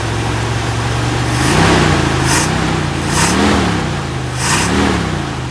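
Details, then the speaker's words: 1964 Buick Electra V8 after replacing the intake manifold core plug: smooth, even idle with clean throttle blips and no puffing or ticking, much quieter now that the exhaust leak at the bottom of the intake manifold is fixed. "so quiet [Music] so much quieter when it doesn't have exhaust leaking out of the bottom of the intake manifold"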